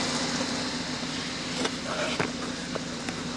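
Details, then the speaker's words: Mercedes-Benz W205 C450 AMG with M276 engine, warmed up to temperature after cooling-system and wiring repairs: smooth steady idle with an even exhaust burble, slight pop; runs healthy, no knocks or misses. "wow did you hear that m276 engine raw it it runs fantastic it's got a nice gurgle to the exhaust got a little bit of pop in the backfire which is fantastic"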